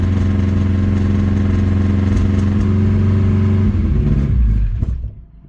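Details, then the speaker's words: Honda Civic after a machine-shop head repair, with plugs tight and valve lash checked. It runs with an uneven, lumpy beat, missing on one cylinder, then shuts off, with visible blow-by. Owner suspects the injectors or the bottom end; unconfirmed. "She's definitely missing on a cylinder. That sucks. Not good."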